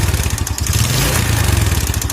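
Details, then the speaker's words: Jupiter Z small single-cylinder, before restoration teardown: runs fast and uneven with a loose, hollow slapping clatter on each firing stroke, no smoke. Engine to be disassembled. Piston slap. "Nah, suaranya seperti ini, berisik banget. Ini suara pistonnya parah sih. Nanti juga akan kita bongkar."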